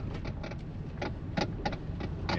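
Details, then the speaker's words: Toyota Prius (believed 2012) creeping around a parking lot: irregular clunks and rattles in short bursts from the steering column. Lower column or intermediate shaft suspected, not yet confirmed. "Oh yeah, all kinds of rattles in that steering column. Sounds like the lower column, like the intermediate shaft."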